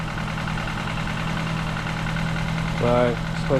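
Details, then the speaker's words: Ford Fiesta Mk7 1.25 with swapped-in replacement engine after flood damage, started briefly with no coolant: low, steady idle hum with an even beat and no knocks, misses or rattles; a warning light on, owner thinks it's nothing bad. "scripting in it i bag lights on some reason but that's probably nothing bad but seems to be running fine"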